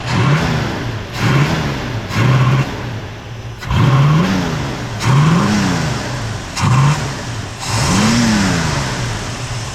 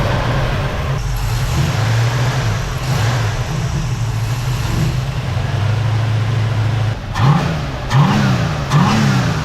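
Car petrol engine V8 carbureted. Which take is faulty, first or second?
first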